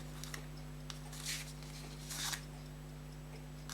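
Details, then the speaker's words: Fusee pocket watch reassembled in its case after repair of fault where it stopped when the case was closed: faint, fairly even ticking over a steady low room hum; the watch is running normally again. "So what I'm going to do is I'm going to pop it back together. I can hear that it's running."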